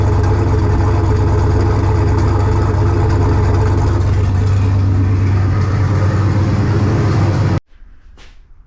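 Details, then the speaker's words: Ventura with On3 turbo LS V8, first start after winter storage: loud deep idle with occasional irregular stumble, then shutdown; random idle misfire, owner suspects cheap JDM spark plug wires. "I think I'm still getting a bit of a misfire like a and it's not like every rotation it's random almost I mean it could be these cheap JDM speed wires"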